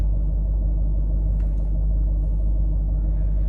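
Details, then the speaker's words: Range Rover L322 TDV8 diesel, previously rough idle, after injector and fuel-system cleaning; live data shows all eight injector balancing offsets within spec: deep, steady, even idle rumble with no misses or knocks; smooth, healthy idle. "So they're all relative, they're all within spec, and I think we're good. It's idling perfect,"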